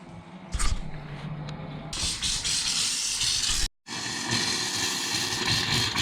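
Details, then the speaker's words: Hot water heater refilling after annual flush, drain valve closed: steady loud hiss with a brief break as trapped air spits out of the tank; normal air purging, no leaks. "As you can hear, it's going to make noise. That is fine. You're just getting the air out of the system."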